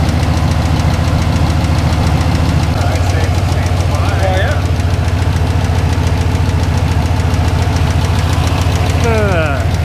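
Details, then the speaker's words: Foxbody Mustang with a junkyard LQ4 6.0 V8 and an ongoing oil pressure problem: while accelerating, a steady rapid knock of about three or four a second returns over a loud low drone; cause not yet known. "and accelerating it started you can sort of hear it again"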